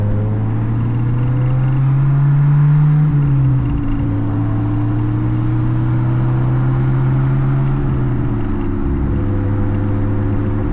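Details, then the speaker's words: Honda Integra DC2 that has sat for a while, possibly low on fuel, while driving: steady low droning hum from one side under road noise, holding through the run; owner suspects a failing wheel bearing, possibly from sitting. Cause not confirmed. "So I don't know if you guys can hear it, but there's like a loud humming that's coming on over here."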